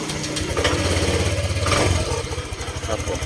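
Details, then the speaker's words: 2017-18 Honda Click 125i LED scooter after repair of top-end tapping suspected in the rocker/valve area: engine fires and settles to an even, quiet idle with no tapping; normal idle. "เครื่องยนต์ก็เงียบเลยนะครับคราวนี้ก็เรียบร้อยครับ"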